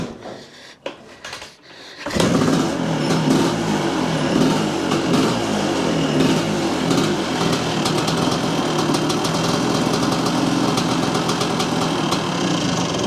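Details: 1978 Yamaha IT400 two-stroke, freshly revived, small fuel leak at cracked hose: quiet, then restarts and settles into steady, slightly uneven crackling idle that holds; idle set too low, needs raising; normal idle.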